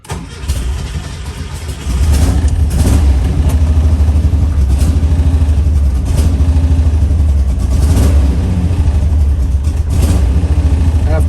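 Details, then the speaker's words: Old carbureted car with oil bath air cleaner, cold start right after oil change and valve cover work, choke not working: deep loping idle stumbling and surging on throttle; rough running cold, cause not pinned down. "let the oil run through the engine for a quick second you'll you can hear how awful this thing runs right now"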